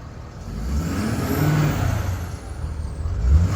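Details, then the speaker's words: Ford Powerstroke diesel, warm engine: deep rumble with a faint turbo whir, catches quickly and settles into an even, steady idle; normal warm start. "thank you sounds really healthy starts right up no it's not like I said it's warm we'll have to see some other time how it starts when it's cold out"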